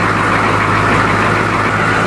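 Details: M1028 CUCV diesel truck after new alternator, with batteries hooked up: steady even diesel clatter at idle, no pulsing or hunting; gen lights steady, 24 V at glow plug, gas blips don't move the needle; healthy idle.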